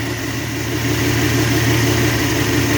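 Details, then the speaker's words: Long-stalled Dodge wagon V8 first run after unseizing, ATF cleaned from cylinders, no coolant, blipped a little: steady even idle, smooth low rumble, no knocks or misses; normal idle, though some blow-by seen from heater hose area. "Oh. Wow. Give it a little. That sounds good."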